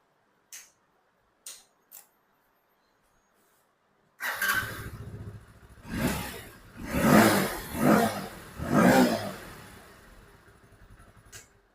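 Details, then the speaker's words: Hero Splendor Plus BS6, 2021 or 2022 model, after repairing fuel pump supply wires chafed and shorting together: faint clicks, then electric start catches at once, three crisp blips, even idle; healthy start restored. "एक बार kick से भी check कर लेंगे। And अब हमारी जो गाड़ी है वो प्रॉपर स्टार्ट हो रही है।"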